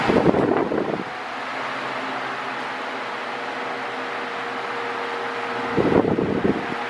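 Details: Mondial Maxi Power 40cm 140W V-40-B fan, new, oscillating at maximum, medium and minimum speed: a steady airy whoosh over a constant low motor hum with a faint tonal whine, louder swells at start and end. The owner finds the motor too noisy, even on minimum.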